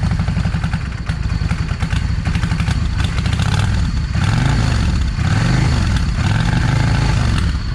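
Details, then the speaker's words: Yamaha 650 V Star. Ragged idle with irregular pops and misfires from the front (#1) cylinder through throttle blips. Owner suspects a clogged or undersized idle jet, despite cleaning it repeatedly. Not confirmed. "Yeah, you see all the backfiring and all that's that's a sign of that uh idle jet either is not large enough or it's clogged."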